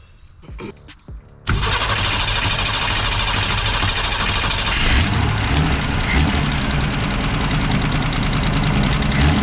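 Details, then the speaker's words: Ford Falcon revived after new points, condenser, cap, rotor and plugs, with a bad radiator leak: it cranks, catches and settles into a steady but fast idle with the choke line to the manifold not hooked up; high idle. "so it'll crank up run idle i'd run a little high but the choke is also not hooked up"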